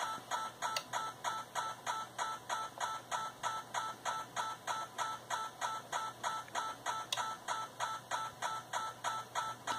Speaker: which is the computer interrogating for commands it occurs no matter what Center frequency I have set in the radio so let's turn up the RF gain again you can hear the problem